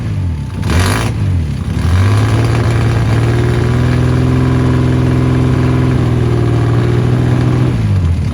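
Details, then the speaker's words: 1979 Ford Capri Mk3 Ghia 3.0 manual barn find, running after about 20 years unused, fed from a jerry can with no coolant, run about 5 minutes: catches, rises to steady fast idle, drops back cleanly; engine sounds good. "Ran it for about 5 minutes maybe. No water in it, so we couldn't run it for too long. Pretty much it. Got it running, that was the goal. We know she's good, we know the engine's good."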